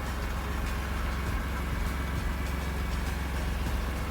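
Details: BMW E46 M3 engine idling after fixing a knock caused by new conrod parts about 1 mm too long hitting the sump, sump filed down with a Dremel: steady low rumble, knock gone.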